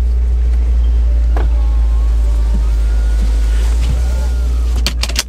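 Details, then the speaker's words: 2015 Subaru WRX on the road after swapping coilovers with blown front struts back to the stock suspension: steady low cabin rumble, no knocks or clunks. "suspect results on got the stock ones back on no clunking car sounds good"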